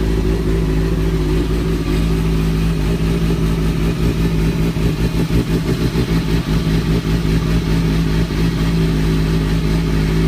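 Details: 2003-2004 Kawasaki ZX-6R 636; deep heavy running engine with rough choppy beat under the exhaust; owner suspects timing gear, tensioner reset per manual changed nothing; abnormal engine noise, source unconfirmed.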